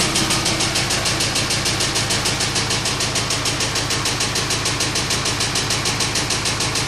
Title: Sorento knocking noise part2